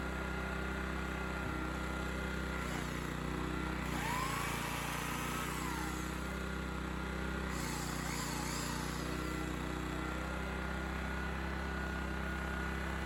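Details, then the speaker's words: Honda EX1000 1 kW petrol suitcase generator, said not working, started after adding fuel and choke adjustment, tested with 350 W motor load: small single-cylinder engine holds steady even buzz, no misses or hunting; running properly. "well that's a success so what did i do i put fuel in it and it went and i was told it wasn't working"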